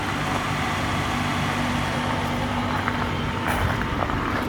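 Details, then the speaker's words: 1992 Lincoln Town Car limousine, long abandoned, at idle after cleaning the idle air control valve: quiet steady even hum, no hiss or ticking, air-leak noise on acceleration gone; runs smoothly. "J'ai plus de bruit suspect. Elle tourne super bien."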